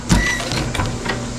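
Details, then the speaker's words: 1968 Pontiac LeMans windshield wipers, after a fix the owner thinks was the 15 amp fuse: a short steady electric whir starts promptly with no stalling or grinding, and the wipers switch on, off and park properly. "Turning on the wipers. Look at that. Turn it off. Turn it on. Turn it off. Turn it on. And they work."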